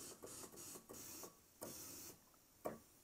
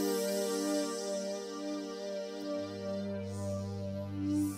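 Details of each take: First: Roland Juno-106 (1984) synth in test mode, DCO noise only: short hissy bursts step through voices 1–6, and voice 2 sounds ragged and cuts in and out. Faulty A1QH80017A voice chip number 2, whose epoxy insulation has broken down. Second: 1984 Roland Juno-106 after voice chip epoxy repair, reassembled and powered up, portamento on: clean sustained chords with a deep bass note entering, no dropouts or distortion; every voice sounds normal, repair appears complete.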